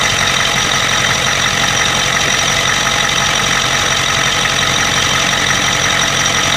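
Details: 1992 Ford 7.3 IDI diesel at idle with an irregular stumble and a sharp knock over heavy hiss. The random misfire comes with intermittent blowby. Teardown found the second ring broken in half on two pistons and one bad valve guide.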